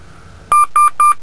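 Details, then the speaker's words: 1995–2002 P38 Range Rover at switch-on with a stored EAS fault: three quick, evenly spaced mid-pitched beeps, the air suspension fault warning chime. "I'm going to go and turn on the car and you'll see that I actually have an EAS fault stored it's not pleasant it all happens to all of"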